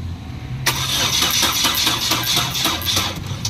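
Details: 2011 Chevrolet Cruze with good fuel pressure and compression and a new coil pack: steady starter cranking at about four beats a second that never catches; won't start.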